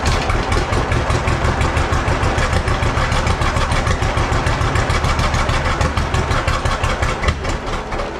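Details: John Deere B tractor first start attempt: slow, steady, even popping beat holding its pace with no misses or knocks, a healthy two-cylinder idle.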